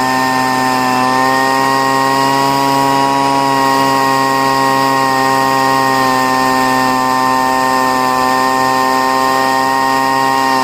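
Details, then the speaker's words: Poulan two-stroke leaf blower, first start of year after storage, choke off: steady thin high-pitched scream with a small sag near the start; running lean, fixed by richening the high-speed (outer) mixture screw, needed every year. "And what I had to do is I richened up the, which I have to do every year for some reason. I had to richen up the high-speed mixture screw."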